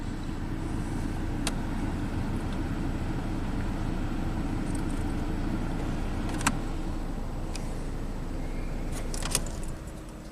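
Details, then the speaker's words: 2012 Ford Focus idling with no A/C: steady whooshing cooling-fan roar that never cycles off while the coolant temperature reading jumps around (was -40, open circuit); bad sensor or connection suspected, fan stuck on, compressor not engaging. "you can hear the cooling fan come on and I don't think this air is going to get very cold so the cooling fan is on"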